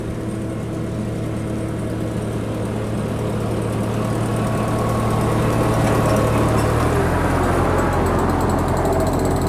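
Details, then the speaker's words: 1951 Ferguson TEA20 tractor stopping with a Befco rear 6' finish mower: steady engine, with a quick light ratcheting click near the end as the mower freewheels. The new PTO overrunning clutch clicking normally. "you see if you can hear that click click click from the uh mower or from the overrunning clutch."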